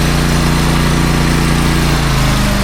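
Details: Kubota U35-4 mini excavator, cold with the oil not yet hot, idling after a part held by a plug and four bolts was refitted, to check for leaks: a loud, even, low diesel rumble with no knocks or misses. No leaks or wet spots were seen.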